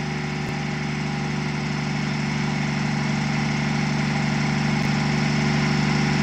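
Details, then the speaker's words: Truck diesel just cranked, about 40 psi oil pressure, smoke mostly cleared; commenters said it was missing but it sounds like a sewing machine: smooth, even clatter at steady idle, no skips, healthy warming-up idle. "Somebody said in the comments it was missing. That sounds like a sewing machine to me,"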